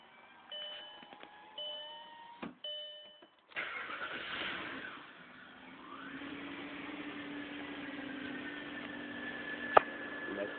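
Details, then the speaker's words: Audi A6 4.2 on cold start: engine catches after cranking, then a thin, steady whine rises and holds above idle for about a minute until warm; source unknown, also surges and nearly stalls on startup. "startup wine not sure if that's normal or if there's something wrong with the engine it only does the noise for about a minute before it itent warms up and go away"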